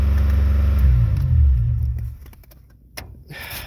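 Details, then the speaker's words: 1989 Chevrolet Celebrity base model, 205,000 miles, after trying another IAC valve: fast steady idle dips slightly but won't idle down; high idle from vacuum leaks, owner suspects TPS, plans battery reset. "Still does not want to idle down. So, I guess we'll do the old battery reset and see what the heck that does. Either that or the TPS is bad and causing the idle to stick that way, too."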